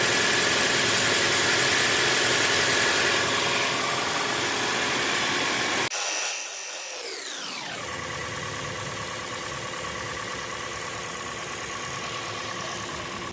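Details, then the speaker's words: Toyota RAV4 hybrid in maintenance mode, petrol engine kept running: brief dip then smooth steady idle without shutting off; normal idle. "All you gotta do is turn it on, and it will be idling without turning off. Because without this, your car will turn on and then it'll turn off in a little bit because it's a hybrid."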